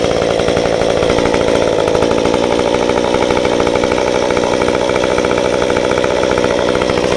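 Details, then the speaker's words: Modified Stihl 193T climbing saw (muffler mod, ~8–9° timing advance, limiters removed, 93 non-E fuel, 16-inch bar, PS3 .050 full-chisel chain) cutting a log: steady high buzzing rev through wood, no bogging or misfire; running strong and clean. "But anyway, I'm going to run it for you and do a cut in the log."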